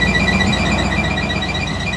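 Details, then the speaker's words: 1971 GMC ramp truck on road trip: piercing high squeal pulsing over the engine, worsening progressively, still present with the belt removed; owner suspects a pump, source unconfirmed. "I'm kind of leaning that it's a pump it's pretty nice when there's no load and then there's that so"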